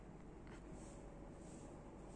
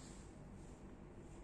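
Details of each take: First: ABCON tubular roller blind motor lowering the blind: low, even, quiet hum with no knocks or jerks, and no clicking or jolt on stop, start or direction change, unlike a common market motor; running smoothly and quietly. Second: Common market roller-blind motor (not the ABCON one) running as the blind lowers and raises: steady low drone, no pitch change, fairly loud hum; clicking noises also occur on each stop or open-close.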